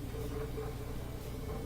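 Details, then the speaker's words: Bosch Axis washing machine that won't spin during cycle, tested on spin setting: steady low hum with even mid-pitched whir and water rushing out, no knocking or grinding; drain pump working normally. "Drain function sounds good. If a machine won't go to spin, sometimes something's caught in the drain. It can't get rid of the water. If it can't get rid of the water, it won't go to spin. But in this case, we can hear the water zooming out of here. So that function seems good."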